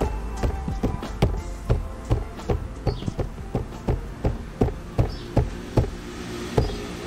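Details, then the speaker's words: 2020 Subaru WRX passenger door: bass-heavy music thumps about 2.5 times a second, each hit bringing a brief buzzy resonance rattle from the door panel, before fixing with foam, felt tape and electrical tape. "因为我的门板，如果你有放那个音乐的时候，比较重低音的时候，它就会发出那个共振，就是会发出那种什么样共振的声音，会一直扣的叫这样。"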